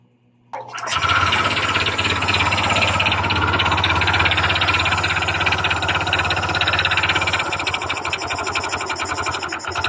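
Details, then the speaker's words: Honda Click 125 fi scooter running with the CVT drive removed, listening near the top of the engine: rapid loud metallic clatter over the idle persists, noise inside the engine; worn connecting rod knocking. "o, nandun pa rin ang ingay ng kanyang makina guys. Makalampag pa rin. Dito sa itaas, pakinggan natin. So meron din dito guys, no? Malakas din ang kanyang ingay ng kanyang makina, ugong, no?"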